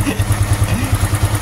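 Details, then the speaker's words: Honda Supra X 125 FI after racing valve springs fitted and a cam-chain tensioner noise fix, restarted at slightly high rpm: even low putter with no ticking or chain slap, very smooth; normal idle. "Wah, halus banget, Teman-teman. Gila, halus banget, sumpah ini. Halus banget. Super halus."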